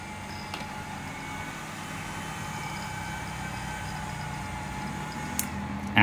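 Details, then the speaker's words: 1000W grid-tie inverter reported as error/not running: after oiling stiff cooling fans, soft steady whir and hum, no rattling or scraping; fans and unit run and produce power normally. "เอ่ะโอเคนะครับพัดลมทำงานปกติทั้ง2ตัวแล้วตัวเครื่องทำงานได้ปกตินะครับ"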